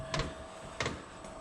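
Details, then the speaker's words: New OMT 8 kW diesel heater first start in garage, battery powered: sharp even dosing pump ticks about every two-thirds of a second over quiet fan hum as it self-purges before firing; priming normally. "I can hear the pump going it's showing the temperature in here it looks like it's uh pumping uh I think it's doing a self- purge cuz this isn't trying to fire yet it's just turning the"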